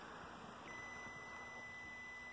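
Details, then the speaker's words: Multimeter continuity test on an ice cube relay for a Lennox heat pump with no blower: a clean steady high beep holds across the normally closed contacts, showing continuity; those contacts are good. "So we've got a beep. And let's look up, back up here again. So these were our normally closed, right? The bottom and the top. So there's our tone there."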